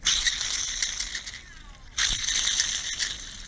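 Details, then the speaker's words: Mercedes SL600: the original idler pulley, spun by hand after removal, gives a dry, gritty rattling whir; its bearing is gone and has play, and the pulley was replaced. "yeah you hear it this pretty there the bearing is gone in there it's actually even have play in it so"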